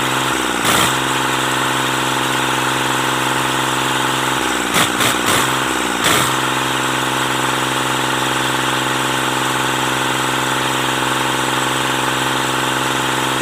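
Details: Mitsubishi K3E diesel in MT18 tractor after replacing three pistons and rings for hard starting: steady even idle with smooth constant beat and a few brief throttle blips; healthy, settled.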